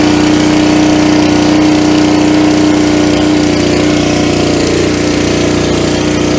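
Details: Coleman Powermate 3750 generator, about nine years old and stored with non-ethanol gas, with a plug of at most 8 hours' use. Started on choke with full oil, warming up before any load: steady, even drone and hum, no surging or misfire. Normal running.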